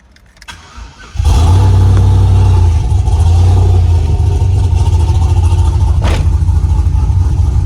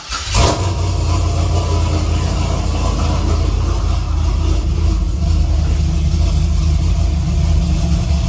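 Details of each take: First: Silverado pickup with new battery, slow to crank and hard starting: quiet for a second, then the engine catches abruptly into a steady low rumble; fuel pump suspected, cause not confirmed. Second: Chevrolet Silverado pickup after no-start fixed with a new fuel pump, bed refitted, pump sounds louder: quick crank, engine catches at once and settles into a steady even low idle, no misses or knocks; normal start and idle.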